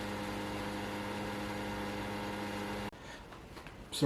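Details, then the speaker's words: PS5 disc edition after the noisy-fan repair, microphone beside the console during a game: only a faint steady low hum with no rattle or whine; much quieter than before. "starting a race and not a single sound from the ps5 it's a lot quieter than it was before big win"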